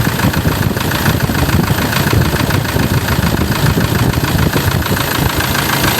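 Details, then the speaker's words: 2004 Toyota Tiger D4D common-rail diesel pickup idling in the engine bay after a dipstick blow-by check: steady, even clatter with a low constant rumble and no knocks or misses; engine tight, not loose, normal idle. "เครื่องยังดีเครื่องยังแน่นเครื่องไม่หลวมครับ"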